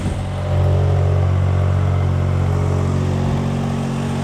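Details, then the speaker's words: 1995 Subaru Domingo micro camper, off the road about 12 years, idling: deep, loud droning with a coarse, blatty low rumble; exhaust is worn and leaking, needs replacing. "yeah so I think the exhaust has had a same better days hasn't it a pump there as well that exhaust sped new one I don't know you can hear me because of the noise of it so new exhaust"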